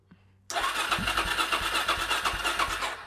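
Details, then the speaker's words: Suzuki DRZ400SM first start in 3 months after a restoration rebuild: a steady, slightly uneven starter chug of about three compressions a second, not yet catching while coolant and then fuel are drawn through; it starts soon after. "I don't think it's going to start on the button. Obviously, it's going to have to get fuel through it, but I don't think it will take much."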